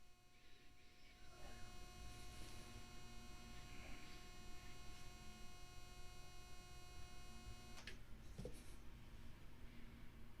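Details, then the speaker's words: Thin steady high whine with low hum from electrical interference picked up from a USB-powered monitor plugged into a computer; noise changes when switched to battery power, whine remains but lessens, then cuts out abruptly. "you will or should notice that there is actually quite a difference in how that noise affects the audio based on where it's being powered from how it's being powered yes there is still a wine but it shouldn't be as right there"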